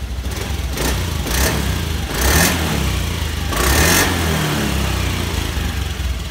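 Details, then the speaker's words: Motorcycle after cleaning the fuel pump and fuel filter; engine revs up and down through clean blips without stumbling, now smooth where before it was unstable and sputtering; normal revving. "Putarannya halus sekali, tidak seperti sebelumnya. Sebelumnya kurang stabil seperti dedet-dedet gitu."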